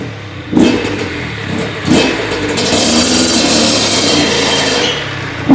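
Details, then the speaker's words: 2001 Honda CR80 two-stroke after cylinder head, studs and gasket repair for a head coolant leak; no leaks from head bolts or hoses. Crisp buzz rising and falling with clean revs, no misses or knocks; normal revving. "Well, she's all good that I know of. Should be all set. Doesn't look like she's leaking anything out of the head bolts or any of the hoses."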